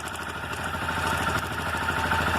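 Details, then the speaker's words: Motorcycle idles with a fast, even metallic clatter from a loose cam chain that starts after running a while; it stops when the tensioner is pushed in by screwdriver, tracing it to a faulty cam chain tensioner actuator. "Então o problema aqui da motocicleta, dela tá fazendo esse barulho, é o acionador aqui, ó, do tensor da corrente de comando."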